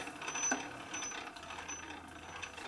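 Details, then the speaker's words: 1965 Harley-Davidson Panhead 74ci lower-end rebuild: slow, scratchy gear chatter with a thin high whine as the gear train is turned by hand; the idler gear is dry and noisy, oil would quiet it, and the tight idler gear has essentially zero tooth clearance. "I think that is this the idler gear making a noise see s all that noise put some o on your noise it go away it's dry right now"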